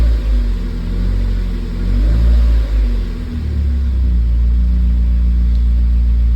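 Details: Mazda Miata being troubleshot for a P0118 coolant temperature sensor code, not started in a while, radiator cap open to burp coolant, in neutral: a deep, steady rumble that swells with a throttle blip and settles back smoothly. Normal revving.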